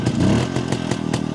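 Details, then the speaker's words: Jawa 250 two-stroke after engine repair, carburetor retuned with self-drilled ~0.66 idle jet and 95 main jet: short sharp blips with a crackly bark, picking up instantly and dropping straight back; low-rpm throttle response much improved. "on vähän säädetty niin nyt vastaa niinku kaassuun tälleen pienemmiltä kierroksillä ihan eri tavalla"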